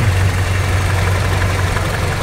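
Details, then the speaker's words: Toyota Kijang idle after adjusting distributor ignition timing, previously too retarded with uneven exhaust: steady low idle, fairly even with no misses; smoother now, but timing reads around 10 degrees, still not right. "oke sini suara mesin juga sudah berubah menjadi lebih halus kita coba cek timing pengapiannya lagi"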